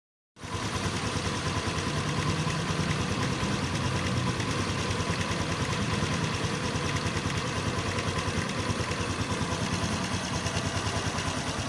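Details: Honda XRM 125 FI idles steadily with a dull, fairly regular knock about three per second under the exhaust beat, from the left side of the engine; cause not identified.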